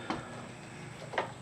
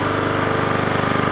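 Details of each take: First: Troy-Bilt pressure washer engine, reported not firing, pull-cranked with spark plug out; gauge reads about two pounds, soft airy hiss with almost no compression push; head leak suspected: low compression. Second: Troy-Bilt pressure washer, small engine that reportedly would not fire, first start after cleanup with a pull: quick, even, steady firing beat with no misses, knocks or rattles; running smoothly and fairly quietly.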